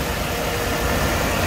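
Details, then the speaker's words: 1998 Mercedes-Benz 3200cc inline-six idling after replacing the water pump, thermostat and housing, belts, pulleys, fuel pump, and engine and transmission mounts: a steady, even idle with no knocks, ticks, squeals or felt vibration; running smoothly. "Ya ini suara mesinnya"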